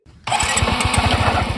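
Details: Suzuki Access scooter with sudden loud noise from the rear: engine runs with loud, rapid knocking clatter from the rear drive; rollers replaced.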